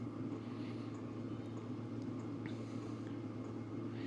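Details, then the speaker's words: 2024 WIPPRO 8kW diesel heater about 24 hours into a continuous run: soft steady fan hum with only a faint occasional fuel pump tick; quiet, normal running. "if you listen there's a small ticking noise but you can barely hear it usually these dle heaters are famous for a ticking noise where the metal in the pump is banging together"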